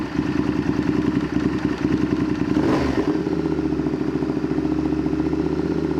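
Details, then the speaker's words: Honda VTR Firestorm V-twin idling after carb/idle adjustment: clattery, lumpy idle that wanders and stumbles; running better but still not right. "so the firestorm is running better but it's not quite right so we're going to leave it there for now"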